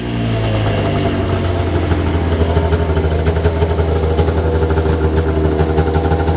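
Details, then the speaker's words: Arctic Cat ZR 600 EFI two-stroke snowmobile, sat about 10 years, first run after tune-up: steady low drone with raspy spitting edge; exhaust leaks suspected, not confirmed. "might have some exhaust leaks i like the sound of these better than the players"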